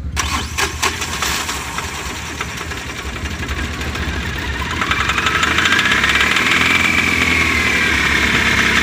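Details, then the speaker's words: Mahindra Maximo (older vehicle) after replacing faulty cam sensor (old sensor gave no return signal; 5 V and ground wiring correct): starter cranks briefly, engine catches promptly and settles into steady even idle, holding accelerator; starts and runs normally. "Friends, ಗಾಡಿ start ಆಗಿದೆ. ಇದೇ cam sensor flower ಮತ್ತು ಹೋಗಿದೆ."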